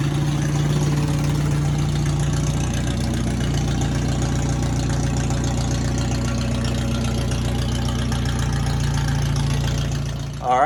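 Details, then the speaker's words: Farmall M tractor with flathead engine swap, started after battery mount and cables were fitted: even, steady idle with a firm low rumble and no misses or knocks; runs good, normal idle. "right she runs good so we're going to move on to the coil Mount"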